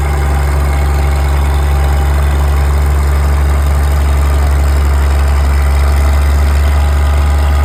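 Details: Old D6 dozer diesel being warmed up, smoking a bit, while a military D4 waits on an oil cooler repair. Deep, steady rumble, even beat, no misses or knocks: normal idle.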